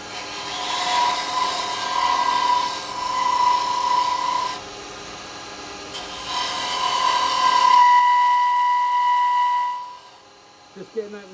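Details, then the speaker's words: Woodturning a snowman with carbide spindle chisel on lathe: rasping cut with steady high ringing squeal each pass; chatter vibration because tool sticks out about 5 inches past the tool rest. "getting that noise because it's on the, coming out quite away from the tool rest. It's like 5 inches out. You'll get a bit of vibration."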